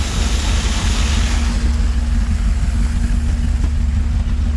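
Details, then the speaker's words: Old Ford grain truck with no block heater, cold-started on a snowy day and now warmed up: low, even rumble holding steady at warm idle with no knocks, misses or surging; normal warm idle. "truck's still running that's good finally got it warmed up got some heat"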